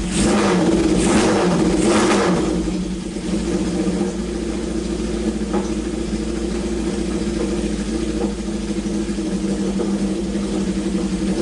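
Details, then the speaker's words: Honda CB750 four-cylinder, sat around two years or more, restarted after oil drained to proper level: settles to steady even idle after blips, no misfire, runs on all four, no big smoke, good compression; normal idle and revving. "this is exactly what i wanted to do is just verify that it runs well it ran on all four cylinders there wasn't a huge plume of smoke you know it's got good compression"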